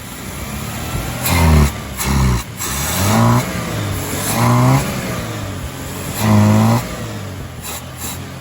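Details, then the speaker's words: 1981 Dodge Challenger revived after years off the road, running with choke held closed manually: engine surges in uneven blips and sags, won't idle; external accelerator pump dead, suspected bad or passageways clogged. "it'll stay running with the choke Clos manually but definitely no accelerator pump and it won't"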